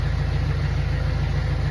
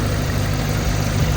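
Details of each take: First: Jeep Wrangler engine idling warm before adding an engine restorer additive: deep steady drone with a light, quick tick over it; engine ticking at idle that the owner hopes the additive will quiet. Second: Jeep engine idling warm at operating temperature, over 40 PSI oil pressure, after 5+ minutes running with engine restore additive added; previous ticking/knocking gone, steady low hum: normal idle.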